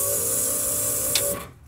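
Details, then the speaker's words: Key-on fuel pump prime on a pickup truck, microphone placed near the fuel tank: a steady high whir lasts just over a second and then cuts off cleanly; the fuel pump is working normally. "Okay sí se escuchó el sonido Eh sí escuchó solamente quería que que supieran ustedes cuál era Cómo cómo sonaba Y bueno pues ya está trabajando la bomba"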